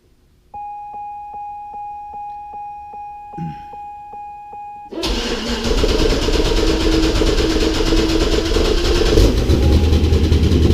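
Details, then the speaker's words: Twin-turbo Corvette being fitted with bigger injectors, cranked after cleaner was sprayed into the heads: about 4.5 s of steady cranking, then it spits, sputters and runs loud and rich; slow start from cleaner flooding the intake. "Spit sputter. Oo, it smells rich. That's exactly what I expected to happen. And I knew it was going to take a second to start because of all that cleaner I had sprayed down in there."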